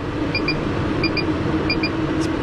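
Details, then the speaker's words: MaxxAir roof vent fan in a bus emergency exit hatch, lid fully open on an 86°F day; a steady, even airy rush with no knocks, rattles or wobble as it pulls hot air out, running normally. "pretty awesome. That pulls quite a bit out."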